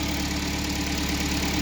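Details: 2012 Kia Sportage 3, 175,000 km, first run after an engine rebuild and warming up: a steady, even idle with a smooth, regular beat and no knocking. It started hard at first.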